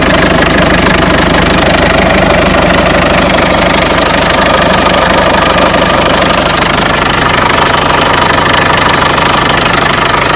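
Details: Peugeot 307 1.6 90 hp: a steady metallic knock, roughly three per second, rides over the idle and holds its rhythm; its source inside the engine is unknown. Engine knocking noise.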